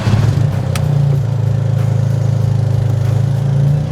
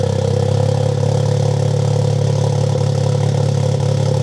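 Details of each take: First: Freshly built Toyota GR Corolla on aftermarket 1100cc port fuel injectors: lumpy, stumbling idle with pulses about three a second breaking the rhythm; cylinder misfire suspected from those injectors, before swapping back to factory injectors. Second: Freshly built Toyota GR Corolla after new spark plugs and factory injectors: steady, even idle with smooth low hum, no stumbles; cylinder 1 and 3 misfires gone, cylinder 2 only 2 counts.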